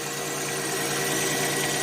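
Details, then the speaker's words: 1990 Chevrolet Lumina Euro 3.1 V6, 145,000 miles, idling after a cold start following about 3 months sitting: light, fast ticking clatter over an even idle, owner suspects it's from sitting; EGR code persists despite cleaning the valve. "here a little clatter probably from sitting but I don't like that"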